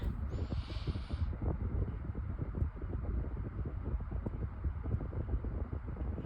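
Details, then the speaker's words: White Pelonis table fan on medium speed: low, uneven rumble with irregular thumping and rattle as the badly balanced blade makes the fan shake. "but it still does it it still shakes quite a lot yeah the balance is really bad"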